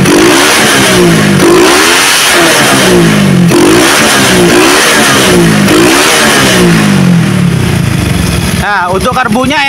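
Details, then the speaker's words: Motorcycle with a freshly set PWK racing carburetor, repeated quick throttle blips: each rises cleanly and idle drops straight back without hesitation or popping, showing the setting is right; normal revving. "ya langsamnya ketika digas langsung turun itu menandakan bahwa settingannya sudah pas ya guys"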